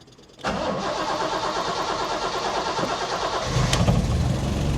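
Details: Jaguar XKE stored for years, first start after fuel pump points service, old fuel drained, new fuel and new clutch hydraulics, running from its own tank: engine catches quickly, settles into an even beat, picks up smoothly; clean start.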